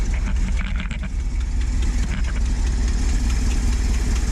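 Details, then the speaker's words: Ford F700 salt truck, about 1982, revived with freed stuck valves, new pushrods, rebuilt carb, new plugs and wires. Deep, lumpy V8 idle with an uneven puffing tick and backfiring through the carb: an exhaust manifold leak. "yeah she's backfiring through the curb a little bit thank you definitely have an exhaust manifold leak"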